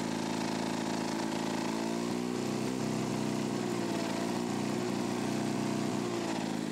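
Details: Lawn-Boy two-stroke mower after crankcase hole and exhaust muffler repair: buzz hunts and wavers in pitch, then settles unevenly; mixture screw hard to reach and adjust, poor mixture setting probable; rough running.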